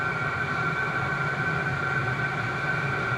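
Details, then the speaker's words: VEVOR diesel heater, first startup once fuel reaches it: a steady blower rush with a faint high whistle over a low combustion rumble, exhaust pipe smoking. The heater has lit and runs normally. "Sounds like it's speeding up, so. Yeah, it's really pumping the shit out of it. Oh, the exhaust pipe's just chooching."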